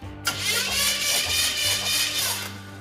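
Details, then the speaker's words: Engine in a hot rod project, cranked during a compression test: the starter spins it quickly and evenly with no labouring beats, reading zero compression in six cylinders; zero compression when cranking. "Nothing. Next. Nothing. This thing has zero compression in six cylinders. And I mean zero. How can that be?"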